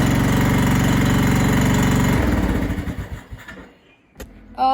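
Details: MTD Yard Machines mower with 14.5 Briggs engine, after fitting a new carburetor: small single firing steadily and evenly at fast idle, then winding down smoothly to a stop; runs properly.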